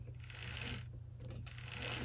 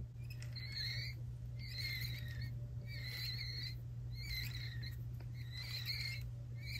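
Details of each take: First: this is how the same helicopter sounds after greasing the oneway sprag so try to listen for the uh squeakiness that's right there's no squeakiness even if I do a close Second: Unlubricated sprag-style one-way bearing gives bird-like squeaky chirps about once a second over a steady motor hum. The squeak comes from lack of lubrication.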